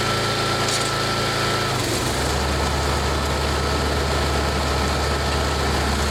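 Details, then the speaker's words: 1999 Snapper 28-inch riding mower, 10 hp Briggs single-cylinder, first run of the season: slow, lumpy, labouring idle; idle speed set too low, needs adjusting, possibly a different carb. "Really low idle. Hear it. That'll have to be for another day."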